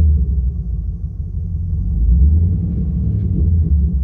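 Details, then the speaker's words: Chevy Camaro V8 with a Service StabiliTrak warning and misfire/injector open-circuit codes P0174, P0202, P0302: a rough, lumpy, uneven idle with a slight knock and a machine-gun-like stumble. "the car is running like absolute garbage um it's it's got a rough idle it has even a slight ever so slight knock"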